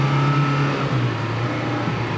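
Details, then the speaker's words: Acura Integra engine after head gasket repair, running with a smooth steady hum, no knocks or misses; still said to need a valve adjustment; sounds healthy; normal running. "it sounds better just like that sounds healthy"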